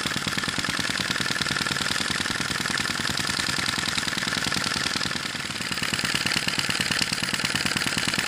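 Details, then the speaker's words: Sai Hu V1-45 flame-licker vacuum engine, relit hot after refuelling: rapid, even ticking puffs at a constant beat with no stumbles or stalls; runs consistently once up to temperature. "it's made well once you get it up to temperature and get it running it runs consistently it runs well"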